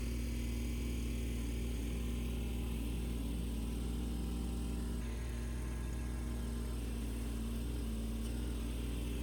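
Low, steady diesel drone held at high throttle with no misses or surging. The tractor is running cleanly.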